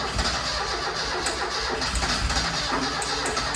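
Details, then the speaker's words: Ford Escort RS Turbo Series 2 barn find, sat for years, fresh gallon of petrol: starter cranks with uneven firing bursts that never catch into a steady idle; tries but won't start, plugs not yet checked. "you can hear it firing it's going it's trying to start but it has been sat there for all that time"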